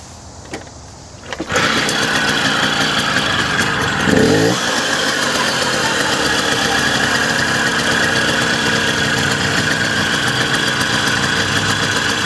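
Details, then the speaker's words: 1979 Puch Maxi 2-speed moped, cold after sitting all day, started on choke after tank vinegar treatment, new fuel line and filter, and rebuilt Bing carburetor: catches within a second and settles into a steady even two-stroke idle, no misses; normal idle. "Okay, so this sucker is cold. I mean, it's been sitting all day. So fuel on, we'll use choke, switch to run, or switch to fun, as my friend keeps inappropriately calling it."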